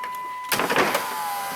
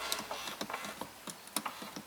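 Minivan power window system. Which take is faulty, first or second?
second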